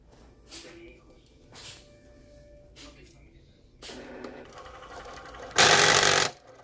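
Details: Cricut Explore Air 2 cutter loading a mat: soft whir as the mat feeds, then a loud harsh rasp under a second; loud mechanical noise during mat loading.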